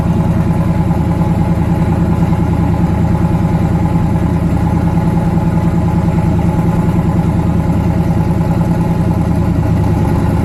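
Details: Newly twin-turbocharged engine, first start after conversion, loud idle with uneven lumpy beat and a skipped pulse each cycle; back cylinder misfiring, head gaskets done last year, fuel line weeping, oil pressure near 70 psi.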